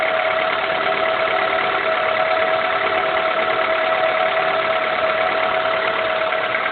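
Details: 2000 Honda Accord, F23A1 block, 167k miles, cold start: steady light knock about three beats a second, only between idle and 2k rpm; owner suspects rocker arms/camshafts or rod knock, unconfirmed.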